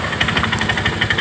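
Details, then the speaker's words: Honda Vario 125 scooter, rough noise from CVT: rapid regular rattling ticks, about a dozen a second, over a rough idle; suspected loose roller housing, worn rollers or clutch linings, found very slack drive belt. "bunyinya itu kayak rumah ruler longgar, ruler peang, dan kampas ganda habis."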